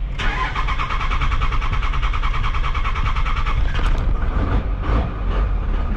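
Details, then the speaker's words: 12-valve diesel truck with common-rail exhaust manifold, cranked long to prime oil, no coolant added yet: long steady cranking churn, then catches and settles into rough diesel idle; normal start. "Oh, we got her started. See if it stays running though."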